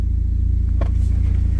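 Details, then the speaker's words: MK1 Audi TT Quattro 1.8T after Grams 70mm throttle body install, restarted once fault codes erased and adaptation redone: steady deep even idle, no stumbles, misses or knocks. Normal idle. "close the controller wait a few seconds there we go sounds good"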